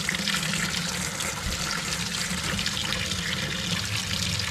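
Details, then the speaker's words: Gasland 150,000 BTU propane tankless water heater, first run after install, tap switched to hot: hissing, uneven water rush with sputtering spits as trapped air clears from hot line before steady flow. "Oh, I can hear the machine. >> I got to let the air out of the line."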